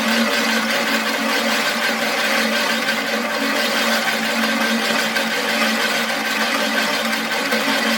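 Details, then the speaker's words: Imported metric reel mower, reel spun by drill during lapping with grit after adjusting the blade closer to the bedknife: an even, steady whirr with no gritty scraping, now running smoother than the earlier gritty sound. "now you tell is running smoother now"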